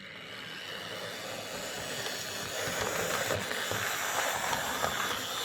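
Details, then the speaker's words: Old Hornby R857 BR Ivatt class model locomotive motor after fitting a new rear bearing, lubricating and re-magnetizing: light, even electric hum with faint steady hiss, no rattle or grinding; runs smoothly, much better than before. "that's a lot better"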